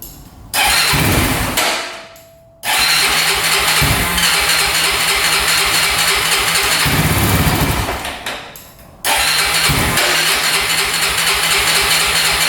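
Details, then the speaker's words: 2004 Honda 400EX quad, after carb clean and valve adjustment: two cranking attempts catch and die, then a raspy single-cylinder idle on choke; hard starting, rough running, cause not yet found (stator and coil tests planned). "So, right off the bat, it has trouble starting. So, that's not good. Seems to be idling okay with the choke on right now. All right, as you can see, it's running horribly."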